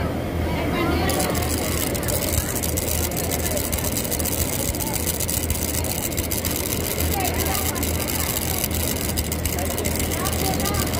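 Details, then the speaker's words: Household sewing machine running with a loud, harsh clatter and knocking from the hook, caused by dried-out oil; lack of oil that will damage the hook. "তো এই বিকট শব্দ হওয়ার কারণ কি সেটা আপনাদেরকে বলছি। এটা হচ্ছে যে আপনার হুকের মধ্যে যদি কোনো অয়েল শূন্যতা দেখা দেয়, যে অয়েল শুকিয়ে যায়, তাহলে কিন্তু এই হুকের মধ্যে এই বাটির শব্দটা হবে।"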